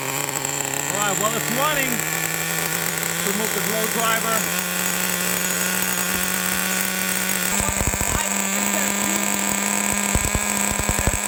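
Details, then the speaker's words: Vintage 1999 Traxxas T-Maxx Pro 15 nitro engine warming up with the throttle trim raised; a high, buzzy note holds, then surges with clacking before dying; raw fuel leaks at the crankcase front bearing, indicating a crankcase air leak. "I think when the engine warms up it'll be fairly obvious whether we have a vacuum leak or not"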